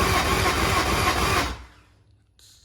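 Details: Brief, even starter churn of about 1.5 seconds on a 2003 Yamaha 225 Vmax outboard during a compression test. Normal cranking with no hitches.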